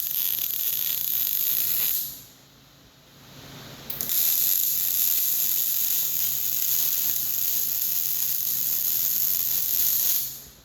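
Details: Short-arc MIG welding with .045 wire: steady frying crackle like bacon in a pan, with a short pause mid-run; normal, well-tuned short-circuit arc.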